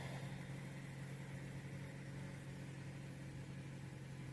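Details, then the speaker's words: Low-mileage ex-fleet 2013 Dodge Avenger, first start after oil pan replacement with fresh oil, on trailer: oil light goes out; low, steady, slightly buzzy hum, no knock or misfire; oil burning off exhaust; normal idle. "Sounds pretty good. I'm still on the trailer here, so let me hop down and take a look around. Runs pretty good. These aren't the quietest engines to begin with, so it's a little buzzy, but I think these all are."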